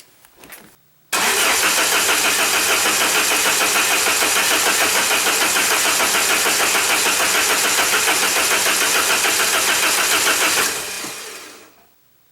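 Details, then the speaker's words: 1994 Saab 9000 non-turbo, just after injectors were rebuilt with new caps and seals and flow tested: starter cranks evenly about 3.5 beats a second for nine seconds without firing, fuel rail empty and needing a few cranks to rebuild pressure. "fuel rail's empty it may take a few cranks to get pressure out pressure back up in there get the injectors and everything full"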